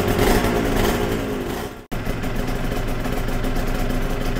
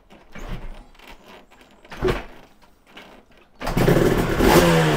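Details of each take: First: Yamaha TZR 250 3XV two-stroke twin during carb balancing, after warm-up: crisp, even burble with both cylinders pulling evenly at steady idle after a brief drop; exhaust pipes near 70 and 63 degrees, healthy idle. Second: Yamaha TZR 250 3XV two-stroke twin, rewarmed after a compression test, with one cylinder running cooler from different carburation: it starts crackly and revs unevenly with lumpy pulses at three to four pops a second, one cylinder working harder, showing a carb imbalance.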